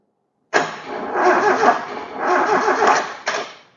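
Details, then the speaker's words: KE20 Toyota Corolla left sitting since the early 90s, with fuel, valve saver and confirmed spark: a sluggish, dragging crank of about three seconds with no catch. The owner suspects the starter motor is on its way out, since the engine turns relatively easily. "Not sounding real good, is it? I think the starter motor's just on its way out because that turns relatively easily."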